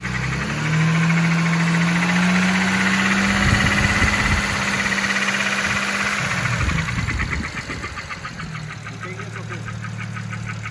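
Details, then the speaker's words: BMW N54 engine: loud steady tick about three per second from cylinder 5 intake side, caused by a scored camshaft lobe and scored rocker arms found with the valve cover off. "so pretty obvious that this is what's uh what was causing our really loud ticking sound on not only on the camshaft side uh but also on the on these uh rocker arm Globes"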